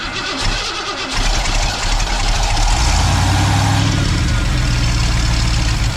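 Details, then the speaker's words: 1990 Ford F250, 351 5.8 V8, junkyard build, cold morning: heavy steady starter churning for several seconds, never catches; cranks no start, no fuel pressure at the Schrader valve. "Let's look right down here. Trigger valve. See, we got any fuel pressure? Nope. No fuel pressure."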